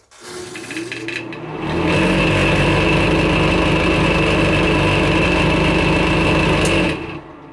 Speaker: the project for today is to figure out why this bathroom vent fan is so noisy